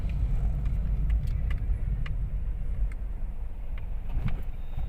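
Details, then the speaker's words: Toyota Wigo on a road test after replacing two stabilizer bar bushings, following earlier stabilizer link and shock mount replacement for a clunk; steady road rumble with only light ticks and no suspension clunk over bumps. "Okay wala na sir may naririnig ka ba sir Wala na Wala okay na okay na"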